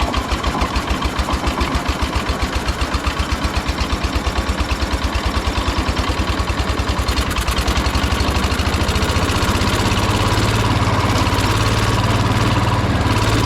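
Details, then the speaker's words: 1971 John Deere 140 H1 riding mower, single-cylinder, run with gummy air filter removed: steady, fairly even thumping after starting, holding speed without stalling. "Let's see if it starts better without a filter."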